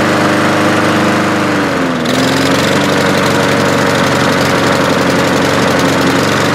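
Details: Walk-behind lawnmower back a month after service with an air filter fouled by oil after being tipped over: a steady, clean high-speed drone that dips briefly under load and recovers evenly. It runs properly.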